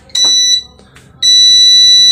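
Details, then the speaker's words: Repaired UPS powered on with its button; lights come on, short high beep, pause, then long steady beep, indicating the UPS circuit is good; normal startup. "Nah, sobat-sobat, seperti ini ya, lampunya langsung nyala, kemudian terdengar bip ya. Nah, itu menandakan kondisi UPS-nya atau rangkaian UPS-nya bagus ya."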